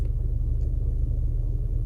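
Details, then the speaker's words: Toyota RAV4 parked at idle, AC off, windows closed, heard in the cabin: deep, dull, steady drumming with no sharp knocks, vibration shaking the whole body and worse than before; abnormal idle resonance, cause unknown. "这个车有个很严重的共振，你看这水不停的在动，就是尤其是在驻车的时候，而且呢，你会很明显的被它就是震的那种脑壳疼。"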